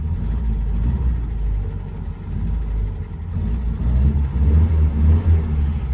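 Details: 1955 Austin A50 Cambridge started with a little choke: soft, steady low rumble with a slight easy swell and no knocks or misses; healthy idle.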